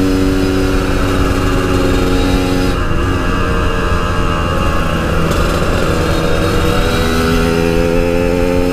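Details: Yamaha RX King two-stroke, riding after fixing high-rpm stutter, recorded through a half-face helmet with wind noise: crisp buzz rising and falling cleanly, no stutter or misfire; normal running at high rpm.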